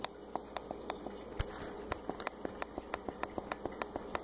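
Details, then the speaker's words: Laptop with trackpad not clicking, opened up, dome switch pressed by hand: crisp sharp single clicks about four a second over quiet background; the little bubble switch itself clicks normally, registering when its pin presses it. "see that sound should sound pretty familiar this is a little bubble thing and that's how it registers when you press on the trackpad"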